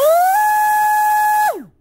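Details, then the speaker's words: XTeam 2440 4500kv inrunner brushless motor with a Sea King 40A water-cooled ESC, bench run-up. A clean, high buzzing tone climbs quickly, holds steady, then winds down, higher-pitched than the outrunner's low sound; healthy motor spinning freely. "wow that's a big difference in sound this has like a high-pitched buzz sound that one has like a low sound"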